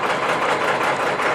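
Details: Cold start of a 1995 Ford F-series 12-valve Cummins box truck after fixing a fuel line that was sucking air: even, steady diesel idle clatter with no misses or knocks; healthy idle.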